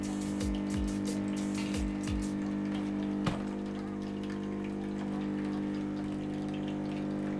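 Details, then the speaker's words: Nivona 930 coffee machine; customer reported howling. A few clicks, then an even, steady low pump hum during rinse, no howling; ordinary pump noise. "Ale ja na razie żadnego specyficznego wycia nie słyszę."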